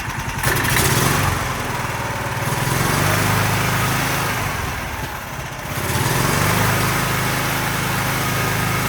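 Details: Predator 420 single-cylinder, about a year old, after valve lash adjustment: even thump picks up cleanly on two throttle blips and settles back without bogging or popping; pinging gone, running normally.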